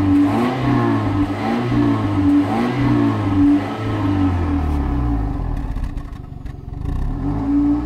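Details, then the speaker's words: Toyota 1ZZ-FE engine during solvent decoking, idling with light throttle after solvent was poured into the cylinders. Revs surge and sag unevenly, then dip low and stumble as if about to stall; the solvent in the cylinders is choking it. "Le moteur n'aime pas trop ce qu'on a versé dans les cylindres, il essaie de caler, sape, il ne survivra à rien."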